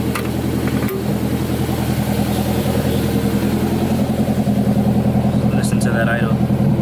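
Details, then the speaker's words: Turbo Honda S2000 after replacing worn injector seals, one of them pinched, fuel pressure about 62 psi: steady, even idle with a smooth regular pulse and no injector chatter or ticking; normal healthy idle. "sounds perfect it's nice and healthy don't sound like they're chattering"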